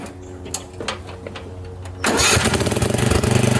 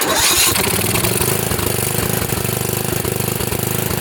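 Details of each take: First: Craftsman riding mower with a Tecumseh engine that leaks oil, mowing wet, thick, tall grass: a few sputters, then a steady, even beat that holds under load. Runs well but uses a lot of fuel. Normal running under load. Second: Craftsman riding mower with a Tecumseh engine leaking oil from a seal, after a plug clean: steady single-cylinder chug at fast idle while the leaked oil burns off and the smoke clears. Engine running while burning off oil smoke.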